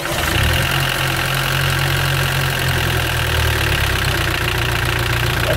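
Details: Mitsubishi L200 Sport GL diesel idling roughly with a dull, uneven low-end knock and loose chuffing, spraying oil out after seconds of running; worn-out engine with heavy blow-by.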